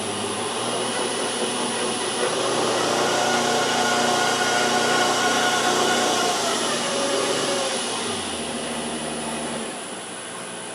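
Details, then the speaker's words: Land Rover LT230 transfer box spun on a test rig: whirring gearbox with a high, steady screech from the rig's drive shaft. "lot of that noise that screechy noise will be coming from my shot"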